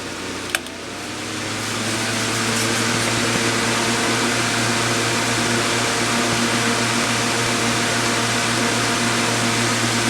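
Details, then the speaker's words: Chung Yuan Electric 9" table fan TF-810S after cleaning and servicing, setting 1 with the guard on: a soft click, then a steady airy whoosh and smooth low hum, no rattles or rubbing; fan healthy. "We definitely lost a little bit of air with the guard on, but it's still moving pretty good air. I really am quite impressed with the performance of these fans."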